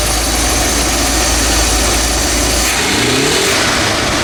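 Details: 1982 Chevy G30 camper van V8 with 4-barrel spread-bore carburetor, first start after sitting, cracked/wrong spark plugs: runs rough and flat, revs rise lazily; ignition timing too retarded, advancing it improved it.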